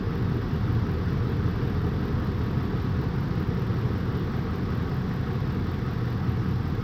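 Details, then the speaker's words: 2004 Ford F-150 5.4 3V V8 after replacing the failed cylinder 8 ignition coil with a new Master Pro coil: steady even low rumble with no stumble; engine no longer rocking, smooth on all cylinders. "okay let's start this truck back up okay already we can see the engine no longer rocking like crazy nice and smooth"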